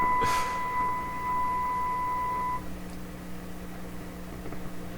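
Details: Canadian General Electric K60 radio during IF alignment without written instructions. At the 380 setting, a clean steady whistle near one kilohertz with its octave above rings by far the loudest for over two seconds, then cuts out; 380 seems the likely IF, not yet confirmed.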